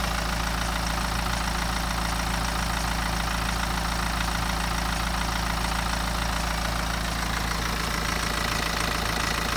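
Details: BMW 118d N47 diesel idling before timing chain replacement: fast metallic ticking, rattling and scraping over steady diesel clatter from a worn timing chain.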